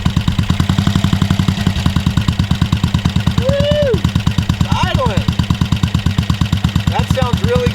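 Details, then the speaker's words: BSA 441 Victor single running after clearing rich fumes from the cylinder and starting with no choke and very little throttle: quick, steady, even big-single thump at fast idle, no misses or spitting; runs well. "We got another old British bike running, and that is one of the best feelings ever."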